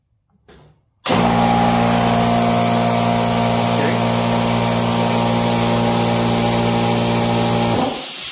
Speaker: But anyways, I'm going to turn her on, and I'm going to let you hear what it sounds like when it goes on.